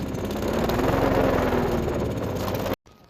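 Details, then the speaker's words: Craftsman mower with a Briggs & Stratton Platinum 7.25 190cc engine, after a basic carburetor clean-out for a no-start: fast, uneven popping at about four beats a second, wavering before it cuts out; running rough, full carburetor cleaning thought needed. "okay so he's running a little rough probably the whole carburetor needs a full thorough cleaning but for now she runs"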